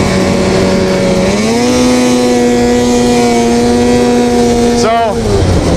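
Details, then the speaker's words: Warm two-stroke snowmobile before repair, at high speed: revs climb to a flat drone that won't pull higher, then fall away; boggy, almost like running on one cylinder; power valves fouled with carbon, fixed by cleaning them. "Yeah, so I don't know if you guys can hear it on the camera, but at high speeds, it starts to get a little boggy. It almost sounds like it's running on one cylinder"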